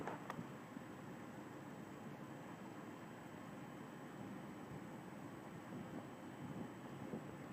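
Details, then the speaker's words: General Electric 12-inch Vortalex 3-speed oscillating fan with new replacement switch, on low speed: soft steady airy rush, no knocks, rattles or hum swings; powerful yet quiet. "I really like the low speed on it because it's really powerful and yet very little noise is produced from it."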